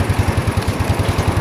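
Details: Old Yamaha Mio scooter, started immediately after replacing burnt stator coil and faulty regulator (kiprok): even single-cylinder putter about ten beats a second, no misses or rattles; clean, healthy idle, though horn and indicators still dead.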